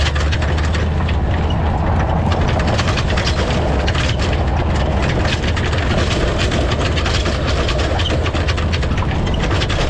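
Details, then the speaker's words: Towing over a bumpy gravel road before fitting an anti-rattle hitch clamp: constant loud clattering and clunking as the hitch shank slides back and forth in the receiver sleeve, over engine drone. "so when i'm traveling along the uh hitch here slides in and out of this bracket this sleeve makes all kinds of noise it slides forward and backwards and it's just a really noisy noisy ride"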